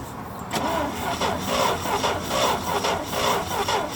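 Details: International Harvester Scout 80 barn find that sat about 17 years, fed from a cup by an electric fuel pump because the tank is clogged: a slow, labouring starter churn at about two beats a second that never catches. Owner suspects a weak battery.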